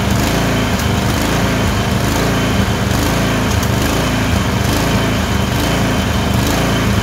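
The loud, choppy twin engine stumbles with uneven, missing beats that skip irregularly; it is a random misfire with surging.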